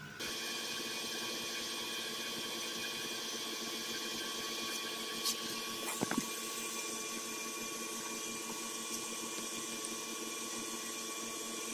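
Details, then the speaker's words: Mercury Grand Marquis after replacing the noisy air suspension compressor, engine running: steady, even electric motor hum and high whir with no knocks or rattles. Normal air suspension compressor operation. "I don't know if y'all can pick that up on the camera but that thing is running I can hear it be able to hear that thing in the car but it is working"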